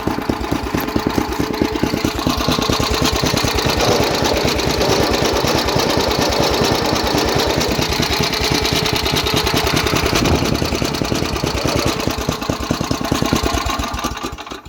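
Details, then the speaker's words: MTD snowblower small single-cylinder petrol engine started at low throttle to show the belts turning: even, steady firing pulses, smooth healthy idle. "I'll start it up on low speed to show you guys what it looks like when the belts are going"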